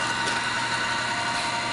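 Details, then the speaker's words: Woodward bead roller fitted with an added gear-motor power feed, hand crank still attached, running unloaded: a steady, even gear hum with a constant whine and no grinding or clatter. The motor runs smoothly and turns slowly. "So you can hear the motor."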